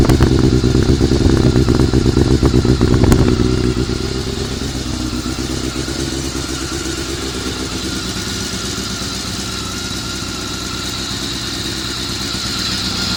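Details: Honda CBR400RR after riding at Ebisu Circuit; the noise is suspected to come from the cam gear train. A fast, steady clatter of about four ticks a second over a rough idle, easing slightly as revs settle: an abnormal mechanical rattle.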